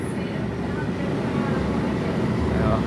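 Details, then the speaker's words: Ceiling-floor air conditioner indoor unit: steady even rush of air, motor very quiet with no knocking or vibration, after fixing fan motor that was unsupported and shaking due to failed motor mount cushion. "bem silencioso motor afirmou mais"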